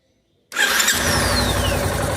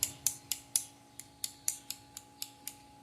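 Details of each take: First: Yamaha Ténéré 250 electric starter after cleaning and reassembly, previously clicking from a loose magnet in the housing: starter engages cleanly, engine catches within a second and runs evenly with no clicking; noise fixed. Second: Yamaha Tenere 250 motorcycle starter motor, bare on the bench: sharp metallic ticks about four times a second as it turns, from a magnet come loose inside the housing; owner first suspected lack of lubrication on the armature shaft end.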